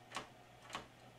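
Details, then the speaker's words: Magnavox ZV427MG9-A DVD-VCR that shuts off after 13 seconds, top cover off: on attempting tape load, two sharp DVD-mechanism clunks with no loading motor movement; cause was a shorted capacitor and damaged transistor cutting capstan/loading motor supply. "I get nothing trying to put a tape in it. No loading motor movement whatsoever, but I do hear the DVD mechanism over here doing something."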